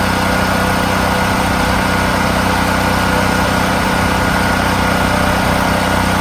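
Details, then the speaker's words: Brand-new Firman H05751 dual-fuel 5700 W generator on propane, first start during break-in, no load. Loud, constant hum at steady speed with even firing, no hunting or surging; normal healthy no-load running. "I live in a town, lots of houses close by, and in case of emergency, if the power goes out, I'm sure that this won't bother them."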